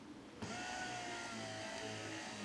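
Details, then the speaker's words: Fiat Panda 4x4 Sisley wiper motor powered directly from a flat 19.2 V drill battery (about 10 V) after spline repair: thin low-pitched sluggish whine; motor running slowly on low voltage. "You can hear how flat the battery is."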